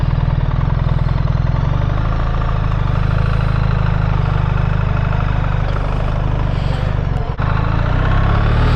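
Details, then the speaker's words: 2024 BMW R1300 GS with ASA automatic gearbox, riding in drive mode: steady firm engine pulse with brief dip at each change, smooth upshifts into second and third at 27 mph. "it's just changed into second and then third and we're doing 27 M hour but that was nice and smooth"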